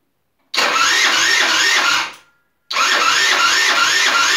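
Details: Rebuilt GY6 50cc 4-stroke Sprint Max scooter, first start attempt on the electric starter after rebuild: two bursts of starter whirr with slow, labouring compression beats about three a second, never firing. The battery went flat overnight.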